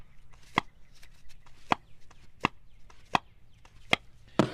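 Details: Shelf-spare BMW M52 DISA valve with a replaced O-ring, removed from the engine and its flap worked by hand: crisp single clacks under a second apart, each snapping back cleanly; the flap returns normally.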